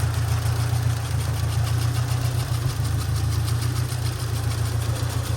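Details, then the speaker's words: 1991 SAAB 900 T16 Carlsson turbo, restored 2013 with replacement engine, 261,000 miles shown, warm, recorded under the bonnet: smooth low even idle hum, steady rhythm, no knocks, ticks or whines; normal warm idle, no funny noises. "Very, very nice clean engine bay. Nice engine as well. No funny noises, no funny smells."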